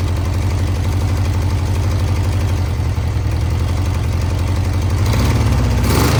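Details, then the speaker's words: 1982 Honda CB650 four-cylinder, first start after VB44 carburetor rebuild with velocity stacks, no tank fitted: steady low idle, slightly uneven pulse but keeps running; engine runs, needs carb tuning, then stalled. "Sounds it like, runs. Sounds like a run to me. Yeah, it does."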